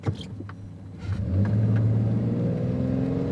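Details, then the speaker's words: Low-mileage six-cylinder used Toyota pickup under full throttle at a drag strip: a smooth engine note rising steadily with smooth shifts and no knocks or misses, so the engine sounds healthy. "goes it's not a race truck but hey listen to the engine the shifts were still very smooth"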